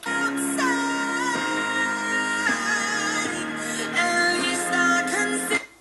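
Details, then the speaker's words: NuTone IMA4406 intercom master station after servicing; it had a failing amplifier and power supply causing low volume and distortion. At volume between 9 and 10 o'clock, the music plays clean and steady with no crackle, dropouts or fluctuation. "Right now the system volume is set somewhere between 9 and 10 o'clock. So much lower than where it was originally. And if you listen to the sound, there is no fluctuation."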